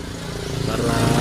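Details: Electric fan after repair, weak-spinning fan fixed by adding a second running capacitor, 1.5 microfarad over the 1.2 microfarad standard: motor drone climbs steadily as the blades come up to speed, no hesitation, now spinning strongly.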